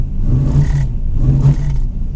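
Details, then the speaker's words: Junkyard 5.3 V8 Camaro with 92mm throttle body and HP Tuners, running poorly after a burnout: with MAP sensor unplugged in limp mode, two sluggish revs that hesitate and drop back; owner suspects a bad MAP sensor. "sensor okay without the uh mouth plugged in in limp mode it takes throttle position"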